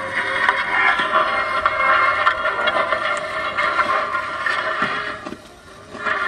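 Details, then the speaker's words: Vintage Magnavox console record player, owner reported staticky sound and records not dropping; harsh scratchy hiss with irregular ticks over faint muffled music; not amplifier, stylus needle gone, bare metal dragging groove. "It's not like an amplifier problem. I think the needle's just gone. Exactly, there is no needle left."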